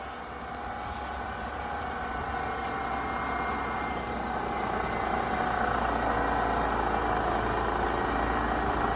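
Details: 1997 Pontiac Grand Prix after heater hose repair with new hoses and clamps, coolant topped off, started to bleed air: even, steady engine drone creeping slightly louder, no knocks, ticks or squeals; healthy idle.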